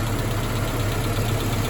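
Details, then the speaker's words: Mazda B2000 after temporary fix of knocking #2 connecting rod and clutch replacement, valves adjusted to spec: steady even idle with only a light valve-train tick, no deep rhythmic knock. Normal idle. "did you do hear some ticking? That's the val train. Uh, ignore that. Just what these things do."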